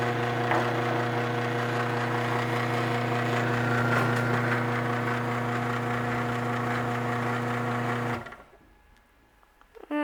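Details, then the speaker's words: Garage door opener motor run on a bench: steady low buzzing hum with a rattly edge until it stops; the bench surface rings from motor vibration, and it is quiet when set on a towel. "yeah, everything that I have sitting on is making all that noise, but if I have it sitting on the towel, it's pretty quiet actually."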